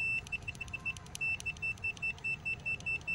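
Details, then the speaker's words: Honda Lead SCR 110, over 10 years old, with an intermittent horn. Multimeter continuity test on the horn switch after its dirty contacts were cleaned (battery measured 13 V, good): sharp, even beeps, low resistance, good contact. Good switch continuity. "mạch rất tốt và nhạy điện trở thấp"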